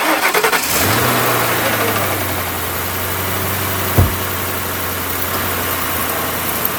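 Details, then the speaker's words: V8 whose battery read only 9.7 V, jump-started with a small portable jump pack: a few quick clicks, then the engine catches at once and settles to a steady, even idle. It starts cleanly. "about that thing weighs less than two pounds i mean heck look at that thing and it starts a v8 engine wow"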